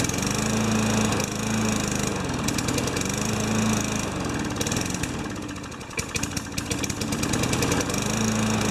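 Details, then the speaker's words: Junkyard 5HP Tecumseh mower engine: sputters and stumbles unevenly, barely running on primer fuel; not much compression. "it gets my arm yank off huh doesn't have much compression"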